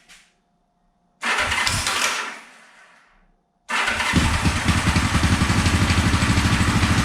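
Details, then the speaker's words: 1974 Honda CB450 twin, restored then sat for years, first start on remote fuel with timing light attached: catches, runs with uneven beat and irregular pops through the carbs; ignition timing about 20 degrees off, later reset. "but the timing was way off like probably 20 degrees off that's why we were getting some pop sizes the carbs and everything"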